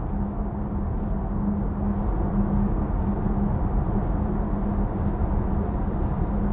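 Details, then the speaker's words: Audi Q6 e-tron Quattro at highway speed over rough asphalt: a constant low droning tyre/road hum that the driver expects to disappear on smoother asphalt; the cause is suspected, not confirmed. "but can you guys hear the humming from the road you can hear it right I can hear it constantly but then it might disappear"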